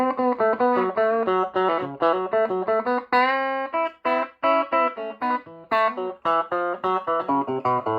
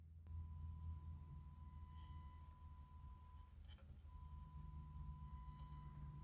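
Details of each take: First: Strauss SRT-15 guitar amp after repair with new tubes and bias checked, previously crackling and ticking from a faulty tube: clean, clear guitar notes with no crackle, pops or hum; normal output. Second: Strauss SRT-15 15 W guitar amp driving a 100 W 8 ohm load resistor with a kilohertz test tone: the tone drops out and returns with faint ticks and crackles; a faulty, red-plating power tube causing crackling and signal dropout.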